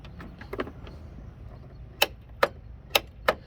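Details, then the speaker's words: John Deere D155 mower that won't start: four sharp solenoid clicks about half a second apart with no cranking; the solenoid pulls in and draws current, but the starter never turns; starter suspected faulty. "it's drawing current and you can hear the click which is coming from the solenoid which is right right there"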